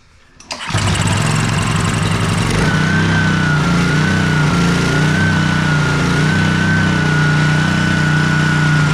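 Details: Honda pressure washer after sitting in a basement all year, carburetor cleaned, started on choke with fresh fuel and run a few seconds to warm oil; a few rough pulls, then it catches and runs steadily and evenly with no misses.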